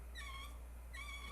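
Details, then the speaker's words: GM TH400 transmission drum with a roller-type sprag (roller clutch) being hand-turned, giving two short chirping squeaks that slide in pitch over a low hum. A roller clutch squeaks, a true sprag spins freely. To be replaced by a 4L80E drum with a big sprag. "that means it has a rollers in there, and that's going to be called a roller sprag or roller clutch. A sprag will not squeak, it'll just spin freely."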